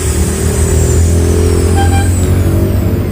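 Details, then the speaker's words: Maktec MT60 drill after its front gear was adjusted to cure a rough, cracking gear noise: a steady, even motor hum in left rotation with no rattle or grinding; now runs smooth. "we change the rotation to the left, it's smooth too. Yes, there's no problem anymore."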